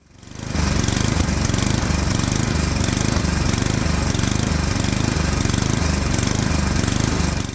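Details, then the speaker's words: Toro Power Max 826 LE snow blower engine surging up and down at full throttle because it runs lean on a non-adjustable carburetor, fixed by fitting an adjustable replacement carburetor. "In that clip, you can hear the engine surging, the idles going up and down, up and down. What the cause is, it's running lean, it's wanting more fuel, and this carburetor is not adjustable."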